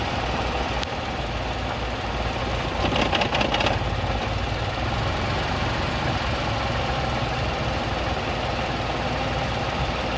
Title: Tata tigor vibration misfires like hell